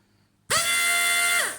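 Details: Vacuum-pressure pump from a seat central-locking system running on a bench with a vacuum gauge attached: small electric pump whining at a high steady pitch for about a second, then spinning down cleanly. Normal vacuum pump operation.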